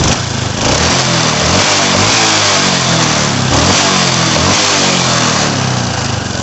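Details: Honda Supra X 125 motorcycle that kept stalling under full throttle from spark leaking from coil-to-plug wire onto body; with wire moved away from body, engine revs up and drops back smoothly several times, no stumble or misfire; normal running.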